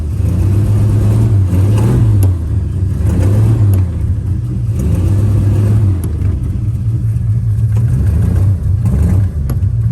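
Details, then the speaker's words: 1951 Studebaker, freshly unstuck engine with leaking carburetor and misfire, no brakes: revs climb and fall under load without pull settling when clutch released; clutch slipping badly. "let the clutch out, it moves. That clutch is slipping bad."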